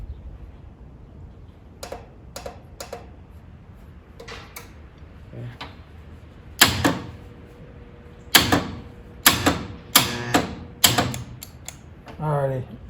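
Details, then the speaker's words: 1947 Willys CJ2A after nearly a decade sitting, on jump box: sharp single clicks at each key turn, engine never turns over; solenoid seems to work but starter doesn't, suspected bad, stuck or jammed in flywheel. "All right. Turned off. That actually acted like that starter was stuck then. Or maybe it's bound up. Maybe it's jammed into the flywheel."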